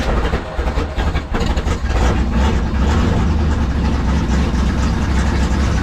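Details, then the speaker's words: 1974 Ford F100 4x4 with 390 FE big block, electric fuel pump, cold start: deep, uneven loping rumble, running rough; smells of raw fuel with smoke, owner suspects too much fuel. "okay there we go so it started ran but man it smells like just Raw fuel I don't know if that's actually raw fuel or if that's something else but but listen to what I hear all that smoke that's fuel going to quit too much fuel"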